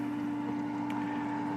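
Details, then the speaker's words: Residential AC/heat pump condensate pump kicking on after the drain pan was cleaned with Simple Green and rinsed with water. Steady, even hum with constant pitch and a faint trickle; drain flowing, no backed-up P-trap, pump working fine. "we should hear the condensate pump kick on just a second flowing out nicely so i don't have a backed up p-trap"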